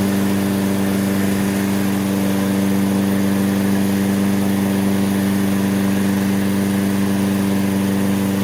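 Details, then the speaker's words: Toro self-propelled mower, Briggs & Stratton 6.75 (believed) single-cylinder with auto choke, which would not restart when hot, after a basic tune-up and fresh gas, warming up: steady, even hum with no misses or knocks; normal running. "let's give it a yank first pull it's cranking up first pull see what it does as the engine heats up"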